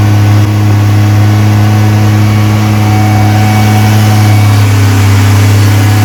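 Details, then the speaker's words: Freshly rebuilt 230 inline-six at first start during cam break-in, fast idle about 2000 rpm, 40 psi oil pressure, 180 temperature, timing set: smooth even firing, no ticking or smoke; sounds healthy. "it's running really good sounds good no ticking um we just gotta get to idle but we're gonna worry about that later"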